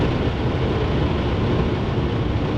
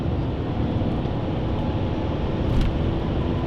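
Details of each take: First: BMW 745i V8 at about 150 mph on the autobahn after a loud bang; heavy steady wind and road roar with rough fluttering underneath, the noise shifting as something moved, from loose undertray plastic flapping; owner suspected something rubbing the tyre. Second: BMW 745i V8 at high autobahn speed, after snapping off a loose piece of undertray plastic that caused a returning noise. Even roar of tyres and wind, no rhythmic flapping or slapping underneath; underbody now quiet.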